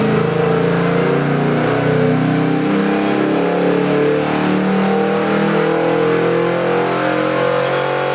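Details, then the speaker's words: Chevy 383 cubic-inch small-block stroker crate engine with Holley 750 cfm double-pumper carburetor, MSD Pro Billet distributor and March pulley kit, making a pull with good oil pressure and AFRs; deep, even V8 roar, no misses or knocks; normal revving under load. "Beautiful oil pressure, beautiful AFRs. We're ready to make a pull."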